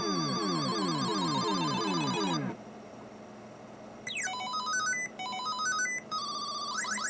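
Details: Galaxian arcade PCB #3: player one start jingle tones pitched noticeably too high; fixed by replacing 4066 analog switch at 7R in the sound circuit; off-pitch sound tones.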